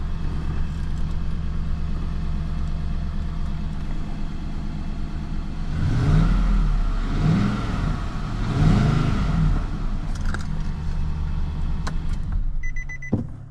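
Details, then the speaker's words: 2017 Nissan Titan V8 after starter replacement for a no-start: smooth, quiet idle with a few light throttle blips, no top-end ticking; earlier noise was thought to be an exhaust leak or lifters not pumped up, now quiet. "Oh, now it's quiet. Maybe those lifter's not pumped up or something."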